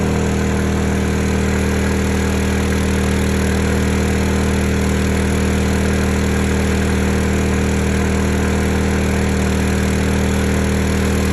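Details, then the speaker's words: Honda EU2000i (EU20i) generator back at idle after 500–1500 W load tests, following a stale-fuel rough-idle fix; smooth, steady hum with an even fast beat, no hunting, surging or misfire. Normal idle. "That's idle. So, it's just one of extra test."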